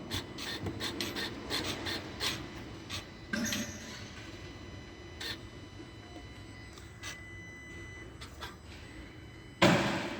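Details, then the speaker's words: 2.2 turbo diesel Rampage, engine just switched off: soft clicks and short whirs from the electric EGR actuators and, lower down, the electronic throttle actuator settling after every shutdown. This is normal, not a defect. "Esses barulhos é totalmente normal, viu, galera? Esse aqui, ó, são os atuadores da EGR que tem aqui. Tem também lá embaixo os atuador da borboleta eletrônica."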